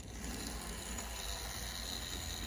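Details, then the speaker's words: N scale Minitrix F3 model locomotive, Union Pacific 510: fast, rough gear whir with a ratcheting edge as it runs; noisy drive that would likely run quieter after servicing and cleaning. "probably be a lot quieter Runner if it was serviced up give it some cleaning nice so we're three for four right now"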